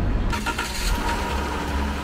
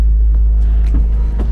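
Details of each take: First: Van broken down in rural Colombia after crazy noises and a rattle; engine restarted, oil level looks good, some leak remains. Steady, even low idle rumble with no knocking, ticking or grinding; crazy noise gone. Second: Camper van climbing uphill on rural road the day after breaking down: deep pulsing throb under heavy low rumble, like a rumble strip, as the cooling fan kicks on; fan rattling.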